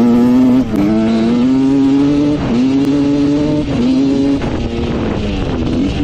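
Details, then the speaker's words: Rebuilt 1986 Honda CR125 two-stroke dirt bike, which had a bad bog before: crisp buzz that stumbles and dips at low revs, breaking up instead of pulling clean; turning the air screw out another turn fixes it. "you can hear it kind of breaking up low end so we turn out the air screw another turn and we're pretty much perfect now"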